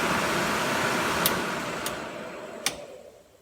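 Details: C3 Corvette heater blower motor bench-tested off the car on a 12 V DC supply, switch stepped low, medium, high: even airy small-motor whoosh, switch clicks, smooth wind-down; normal blower motor operation.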